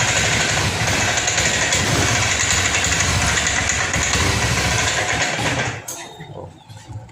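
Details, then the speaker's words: Honda Scoopy fuel-injected automatic scooter at idle: uneven, stumbling putter, then dies when throttle is opened. Rough idle and stall; fuel pump suspected first, not confirmed. "nah ini menyala stansioner langsam Coba kita tarik tuas gasnya ah mati Pak di sini bbetbet pak ya ketika langsam ini berebet tidak normal"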